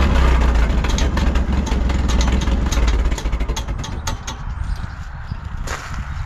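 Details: 1951 Farmall M tractor after replacing pitted points: low chug that stumbles and breaks up, hesitating and sputtering; unchanged, owner suspects the carburetor.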